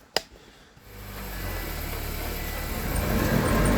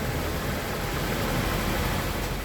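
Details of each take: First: 2020/2021 Honda Accord, collision-damaged, lifted with wheels rotating under engine power: loud droning hum rising in pitch from a prematurely worn front wheel bearing, possibly both sides; planned fix is spindle replacement. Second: 2020/2021 Honda Accord after wheel bearing and spindle replacement, heard inside the cabin while driving: steady even road rumble with no hum, growl or speed-linked whir. Wheel bearing sounds normal.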